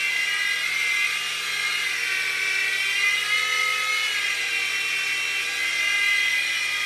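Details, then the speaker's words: U809 Air Attack toy helicopter after a LiPo change and super-gluing the slipping motor pinion gears: smooth, high, steady rotor and motor whir with no gear slipping, flying normally. A motor later began slipping and whining again. "wow success we've got a working helicopter"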